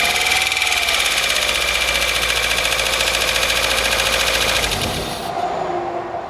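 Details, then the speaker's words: 1997 Opel Astra after timing belt and head work, some vacuum pipes still disconnected: fast light ticking about three to four per second over idle; tappety valvetrain, owner attributes it to lots of water in the oil. "obviously there's a lot of water in that oil so that's why it sounds a bit tappety"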